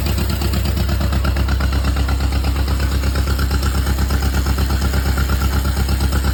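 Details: John Deere Model M running after at least 15 years sitting in the woods, with fresh oil change and a rewired generator lead. Deep, even putt-putt at a steady rate with no misses or knocks; healthy normal idle.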